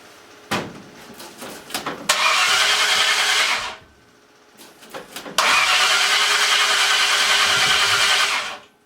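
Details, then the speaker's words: Freshly built Ford 302 engine with new cam, just installed, with a possibly weak battery: two long stretches of fast, even starter cranking with no catch or firing; crank no start, distributor installed 180 degrees out. "Something's not right. Pull the number one spark plug. See if I'm 180 out."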